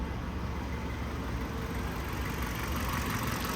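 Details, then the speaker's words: 2015 Kia Sorento with intermittent no-start and code P0340, after replacing both faulty camshaft sensors: starts immediately and settles into a steady, even, smooth idle with no misfire or stumble; normal running. "خلينا نجرب نشغل السياره ونشوف الاشاره اللي بتطلع من الحساس تشغل تشغل تشغل اشتغلت فورا"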